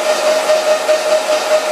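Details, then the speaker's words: Grizzly G0752 lathe, cleaned and oiled, forward at high speed around 2064 rpm with the half nut engaged driving the carriage: a steady, loud hiss-like whirr with an even mid tone, a normal run under load. "I'll engage the half nut so you can see the carriage move, because this is all clean and oiled now."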